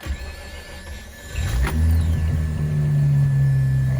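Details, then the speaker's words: Mazda RX-8 bridgeported rotary on stock ECU, cold start after sitting all day, after the idle-issue fix (check engine light still set): cranks briefly, catches at once and settles into a steady, even low idle; normal cold start. "it goes starts right up starting to idle great the fix worked"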